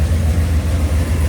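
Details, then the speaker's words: Mopar 383 V8 after switching to a roller cam and lifters, where flat tappet lifters had failed to rotate twice: deep, even lope at about 900 rpm idle with quiet lifters, no tick, knock or blow-by. Normal healthy idle. "Pretty impressed at how quiet these lifters are. Got no blow by. Idle about 900,"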